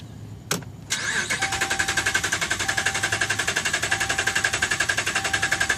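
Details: 2011 Dodge Ram, about 75K miles: starter cranks steadily three to four turns a second with whining motor, engine never catches; crank no start, dealer found defective TIPM (Totally Integrated Power Module), replaced under warranty.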